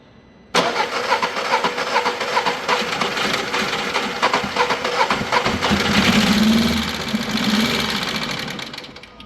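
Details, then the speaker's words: Engine after timing belt and tensioner replacement: the starter cranks with an uneven pulse of about four beats a second and never catches, with noise from the cylinder head because the valves are bent; the head must come off. "arkadaşlar sibob eğmiş beraberinde de zaten itecek olduğu yerde yani silindir kapağında da ses geliyor"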